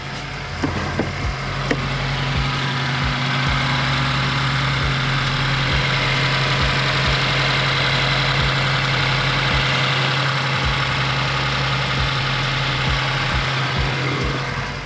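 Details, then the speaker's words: 2015+ Subaru WRX with an aftermarket J-pipe, after sealing an exhaust leak with copper gasket maker and replacing pop clips: steady, even idle with a smooth low drone. There is much less rattle and air noise underneath, and the leak is fixed. "so off the bat just from my own ears it's a lot less like ratalie and I hear less air moving down there which is good"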